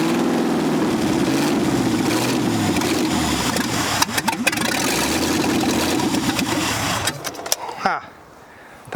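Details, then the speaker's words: Buried 1965 Ford F100 catches after pedal pumping and held choke, runs rough and surging about eight seconds then cuts out; hard starting, owner thinks it mostly needs choke. "think a lot of it's a choke though. It needs to be choked. Yep. It ran."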